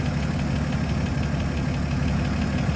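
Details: 1954 Chevrolet 3600 pickup, 235 inline six, idling with the hood open at the engine bay: an even, low, steady rumble with no misses or knocks. A smooth, healthy runner.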